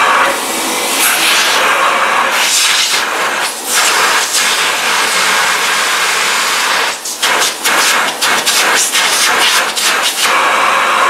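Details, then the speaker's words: Old Philips vacuum cleaner with clean first-layer filter: steady airy motor rush with no rattle or grinding, then smooth even wind-down; normal run and coast-down. "It is silky, silky smooth, and I hope that the oncoming Electro Helios sounds like it should sound, because I have seen those videos about it."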